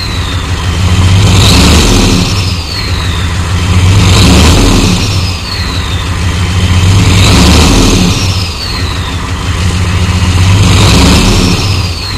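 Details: 1993 Chevy dually 6.5L turbo diesel 4x4, smoky startup without block heater, revved up and down about every three seconds: a dull knock under the clatter; engine knock of undetermined cause.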